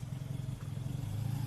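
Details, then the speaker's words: 48-year-old 1960s limousine with a small engine at idle: a soft, even low hum with no ticking, and none of the light valve clatter expected on an old engine. Very quiet and healthy. "qui est surprenant c'est que sur ce genre de vieux moteurs on peut toujours s'attendre à un léger jeu de soupape un petit classement mais là pas du tout le moteur est très très silencieux"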